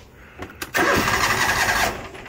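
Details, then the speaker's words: John Deere GX345 mower: cranks, catches with a ragged roar for about a second, then fades out; runs only on choke, worsening; failing mechanical fuel pump with deteriorating rubber starving fuel, hard starting. "without the choke up it wouldn't start and it just gets significantly worse and worse and worse and worse and this is a this is a common issue on these when the fuel pumps start to fail"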